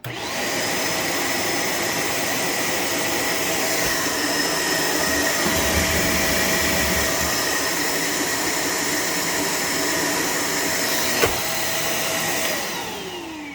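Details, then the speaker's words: Shark Navigator Lift-Away ADV upright vacuum: steady high whine, then motor tone sags and winds down as the head goes back onto carpet. Brush roll slows almost to a halt under carpet load; brush roll only shuts off when upright. "And you can also see right there where the second I put it back on the carpet, it just immediately slowed down to almost a halt. That can't be good for the brush roll motor."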